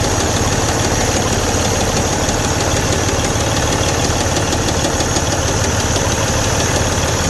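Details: Detroit DD15 diesel truck idling: deep, steady knock about twice a second under engine clatter, loud knocking with good oil pressure; suspected defective connecting rod bearing, crankshaft reported good.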